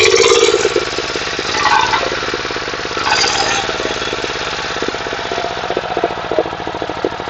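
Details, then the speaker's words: Water pump's 11.25 engine after repair: damaged regulator gear repaired, neglected oil changed, pipe renewed; even steady chugging at about three and a half beats a second, no knocks or rattles; running healthily. "Xudo xolisa moylarni alishtirib, moyi yaxshi qaralmagan ekan. Shular bilan to'g'irlab yurg'izib qo'ydik."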